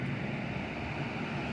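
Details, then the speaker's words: Wind Machine three-speed fan on medium after oiling seized motor bushings and cleaning lint: steady, even rush of air with a low hum, no rubbing or ticking; blowing nicely. "wind machine and it is blowing quite nicely and I'm going to be sleeping comfortable tonight"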